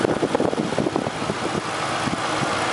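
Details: 1999 Mercury Grand Marquis (P71) 4.6 after finding a broken clip behind its misfire: steady, even, smooth idle with no stumble or shake; engine sounds normal again.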